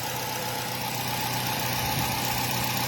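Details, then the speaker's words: Nissan Y12 with cylinder 4 misfire persisting after new plugs and coil swap: lumpy idle with steady stumble about four times a second; no cylinder 4 coil signal, idle improves when wiggling harness. "But the minute we play with the wiring harness, we hear in the idle improving and we getting some movement here."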